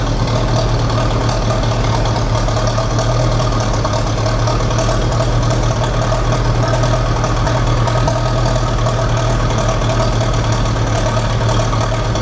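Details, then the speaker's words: Massey Ferguson TEA 20 tractor after Zenith carburetor rebuild, restarted without choke: steady, even low idle with a smooth, unbroken beat, no misses or knocks; runs really well, normal idle. "That's freaking awesome. It runs like really well, actually. Nice. And it sounds good."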